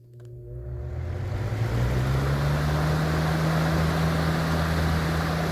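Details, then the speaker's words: 1991-1992 Robeson 2393 fan after swapping the warped plastic blade hub for a spare blade: smooth steady hum building as it spins up, motor buzzing gone, running normally. "Doing away with this old warped plastic blade, and got one of my spare liquid blades on here. And the buzzing stopped from the motor."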